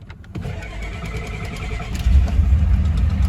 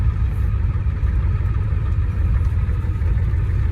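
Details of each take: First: 1989 Ford F-250, cranked after the fuel pump was left on through dinner: strong, even cranking at about three beats per second, then the engine catches and builds. Starter and battery sound healthy and cranking is normal. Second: 1989 Ford F-250 with air somewhere in the fuel system: deep diesel idle with an uneven, stumbling beat and no steady rhythm. It runs poorly at idle and the roughness goes away with throttle.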